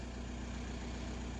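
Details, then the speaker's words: VW Golf MK4 wagon 1.9 TDI PD130 diesel, very low on fuel, after fitting new fuel lift pump: steady, even idle with low smooth hum, no pump whine or rattle; old pump's horrible noise gone, old pump covered in algae and debris. "so yeah new fuel lift pump fitted and it's not making that horrible sound that it did before"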